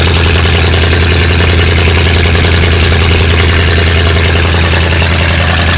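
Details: 7600 tractor diesel after repairs: heavy idle with an uneven, loping beat around two to three pulses per second, like a cylinder not firing properly; rough idle, cause suspected, not confirmed.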